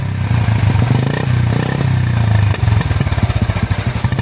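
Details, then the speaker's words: Royal Enfield Bullet 350 (new model, self-start) started on self-starter and idling: deep, even single-cylinder thump with only exhaust note from the silencer and no mechanical clatter; normal healthy idle. "बिल्कुल भी sound नहीं है, सिर्फ silencer से आवाज आ रही है। बस इस मॉडल में यही खासियत है।"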